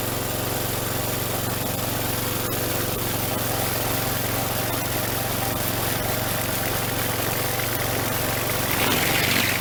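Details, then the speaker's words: Troy Bilt string trimmer, small two-stroke, test run after the carburetor was cleaned and before full reassembly: steady even buzz with no surging or misses, brief rev near the end. Engine sounds good, though the primer bulb doesn't seem to be priming. "So the carburetor works. Whoops. And the engine sounds good."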